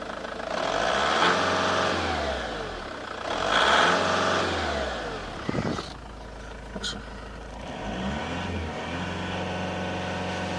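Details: Opel Astra G diesel at full throttle: revs surge up and down in long waves and never pull clean and steady; engine fault, cause unclear.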